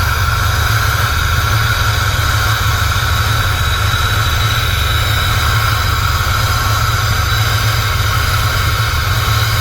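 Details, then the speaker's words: Idling engine warming up, fan not yet on: steady deep idle with a light, fast ticking; owner suspects a very loud turbo wastegate rattle, not confirmed. "Wastegate's really loud. Fan hasn't kicked on yet. It's starting to get warm."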